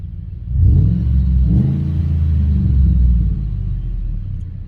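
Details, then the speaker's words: 2007 Ford F150, exhaust formerly very loud with no exhaust, now quieter: deep, even low rumble swelling smoothly with a light throttle blip, no rasp or drone; normal exhaust note. "That sounds a little different, huh?"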